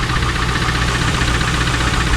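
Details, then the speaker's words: 2001 Trans Am LS1 knocking after 300 miles of driving; Marvel Mystery Oil and Seafoam were already tried, and Lucas is about to be added. The next day a steady idle still has fast, light ticking-knock over the rumble, source unclear. "Still got some ticking, knocking, whatever you want to call it, coming from the engine."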